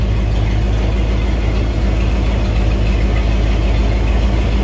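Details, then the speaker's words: 1993 Ford Bronco running after sitting: a deep, steady V8 rumble at idle, smooth and even with no knocks or stumbles; sounds really good. "we got her going got her going gosh she sounds good sounds really good"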